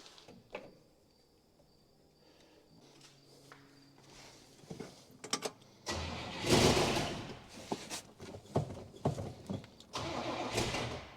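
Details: 1966 Buick Special with small V8, sat unknown years in a backyard, primed with fuel from a gas can: short bursts of starter cranking with sputters between quiet gaps, never catches; cranks but won't start, fuel pump suspected bad, not confirmed.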